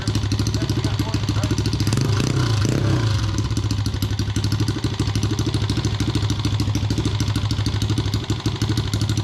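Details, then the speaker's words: Chinese no-name pit bike with swapped 125cc engine, after rebuild with new cylinder and piston to cure heavy smoking: crisp, even single-cylinder putter with a brief rev; clean and healthy, running better than ever. "This is the best this dirt bike has been running probably since it was brand new back in like, I don't fucking know, like 2000 or some shit like that."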